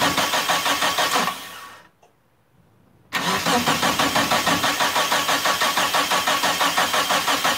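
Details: Turbo Eclipse GST, first start attempt after about 9 years off, battery charged, fresh fuel: several seconds of steady cranking at about three turns a second, never catching. No fuel pump prime heard; scan points to the fuel pump, bad or faulty wiring. Crank no-start.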